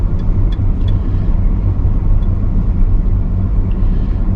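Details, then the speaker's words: 1992 GMC Sonoma GT coasting in neutral after rear brake dragging troubleshooting: even low road and drivetrain rumble, no rubbing or scraping; earlier noise gone, brakes not dragging. "the noise is gone so i just put it in neutral and i'm just coasting nothing's really noticeably dragging"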